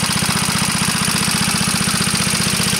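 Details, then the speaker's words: Antique Onan PE-88 military power unit (350 W, 115 V 60 cycle, 12 V charging) running on load: quick, even single-cylinder beat with no misfire and audible valve clatter; governor responds to load changes, normal running. "still uh run on load hear the prity Clack of those valves it's not that [Music] bad"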